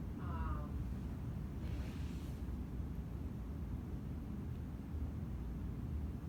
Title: FS 💻 TechSupport | Laptop 👨🏻‍💻 Speaker 🔈 Problem - weird sound 📹 & vibration (faulty speaker)